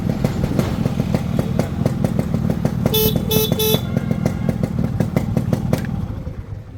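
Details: Restored Yamaha RX two-stroke motorcycle with new chain bracket and new cables: crisp, regular popping beat, steady and even, with a few horn toots over it; engine runs healthy.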